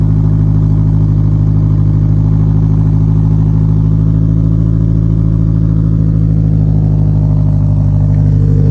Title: Hard start on E-85